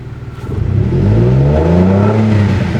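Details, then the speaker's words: Infiniti G35 that suddenly developed a rough idle and died in traffic, warning light flickering: floored, the engine bogs with a low, uneven drone, revs sagging toward stall before picking back up; stumbling under full throttle, cause unknown. "then I put the gas pedal down and it doesn't like it has like no power to it like if I floor it right now you see how bad that sounds"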